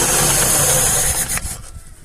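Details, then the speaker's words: Carburetted classic 1.5 with Solex carburettor, cold start in neutral on choke: runs briefly then dies; idle mixture too lean, to be richened. "заглохла бідна суміш зараз забагатимо щоб на підсоціі її не мучити"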